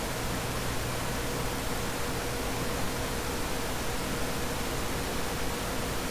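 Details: Dell CS24-SC 1U server, dual Xeon L5420, with two of four 40mm San Ace fans removed, starting a Prime95 load test: steady, even rushing hiss, fans holding constant low speed, no surging or rattles; normal.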